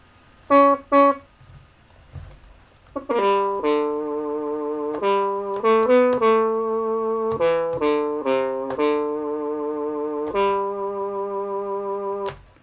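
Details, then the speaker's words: Casio DH-100 digital horn after the squealing fix, batteries in, breath control off: clean, steady horn-like notes rise and fall with each key, no squeal or shriek; synth voice healthy. "and my banshee screaming horn is cured so let's stick the breath controller on it and have a little play"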